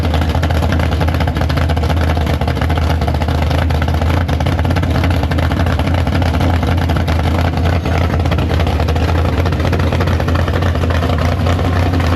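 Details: Big block Chevy V8 in the Farm Fresh gasser, first start after sitting, 750 carb, downjetted; loud, lumpy idle with deep steady rumble and even firing throughout, at temperature, no leaks. Healthy normal idle.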